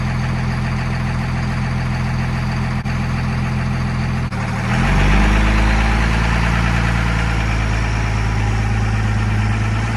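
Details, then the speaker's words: 1971 Dodge Charger Super Bee with a 383 big-block V8, leaking core plugs and radiator, running in the driveway before the engine is pulled. A deep, steady lumpy idle, then a smooth, even climb in revs: healthy. "I'm going to yank this thing out with the Cummins so this way I don't fill the garage with fumes and then we'll get it fired up here in the driveway and have us some fun"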